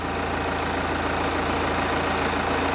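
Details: Diesel idling with a pressure-pulse sensor at the tailpipe, synced to injector 1: a steady, even, regular beat with no skips or knocks. The exhaust pressure waveform is a regular, even pattern, so the engine is healthy.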